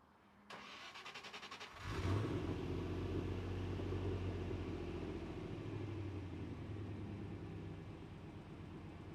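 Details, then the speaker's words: Land Rover Defender V8 after cylinder head gasket replacement, with new headers and a custom stainless exhaust with dual rear exits and twin tips; starter cranks briefly, then a deep burbling exhaust settling into a steady, even, healthy idle. "And I think the addition of the custom exhaust gives it that proper V8 sound, so I'm very happy."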